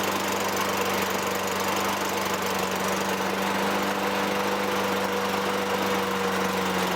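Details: 2003 Toro Recycler 20016 with Tecumseh 6.5 engine, a trash find, runs after carb cleaning and gas-tank debris removal. It holds a steady, even drone at constant speed with no surging or missing. A little smoke fades.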